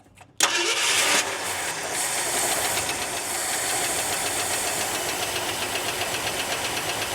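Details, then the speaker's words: Barn-find 1971 Ford F350 Crew Cab V8, first start after years sitting, fuel fed to carburetor from primer system: fires and fast-idles with a sharp steady tick about four per second, not exhaust; owner suspects lifter or rod, timing possibly off. "She actually fires up and runs. Now, there's a major tick in the engine. I hear that. That's not exhaust. That's a lifter or a rod or something, but it's running."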